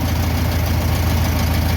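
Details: 1962 VW Bus, air-cooled single-port flat-four (likely 1500), started after losing power and smoking on a trip; fault probably a loose spark plug wire. Steady, even low putter at idle with no misses, knocks or stumbles: normal healthy idle.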